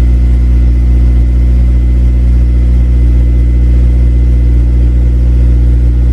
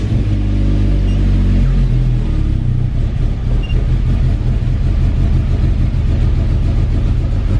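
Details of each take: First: Honda Civic Si cold start below freezing, not started for about two weeks: deep, steady idle with even firing and no misses, knocks or rattles. Healthy engine. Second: Car jump-started on a below-freezing snow day with totally dead battery: deep uneven rumble, lumpy wavering cold idle as if about to die, heavy smoke; cause unclear.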